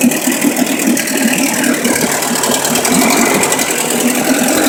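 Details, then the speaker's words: Rebuilt boat outboard motor with cables hooked up: fires right up, steady even idle with light mechanical clatter, no misses or stumbles; idle sounds good. "Fires right up. And the everything's working there. Looks like the idle sounds good."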